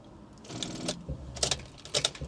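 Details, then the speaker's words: Rover 25 that won't start after being driven and parked: key turned gives only bursts of rapid dry clicks with no cranking, probably a flat battery. Rapid clicking on no-start. "I've got back in the car and we're broken down, guys. It won't start. All we're getting here is a uh clicking noise."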